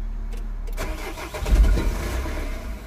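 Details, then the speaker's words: 2003 Nissan/Vauxhall Vivaro 1.9 with a crank-no-start and flashing engine light, tried after a broken wire was joined. The starter whirs and the engine catches briefly, then dies within seconds while the fan keeps running: starts then stalls. "haha now it's starting and stopping so we get in somewhere now the fan is still going up this could be our fan problem now but why aren't we read in press"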